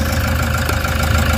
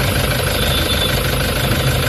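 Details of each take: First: Toyota Hiace diesel after fixing a check engine, vibration and low power fault (EGR codes P0400/P0406, air temperature sensor code cleared): a steady, even idle with a smooth low rumble and no misfire or hunting. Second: Toyota HiAce common-rail diesel with check engine light, low power and engine vibration, codes P0400/P0406 EGR malfunction: heavy low idle with an uneven, shaking pulse underneath; rough idle from EGR fault, injector spray checked okay.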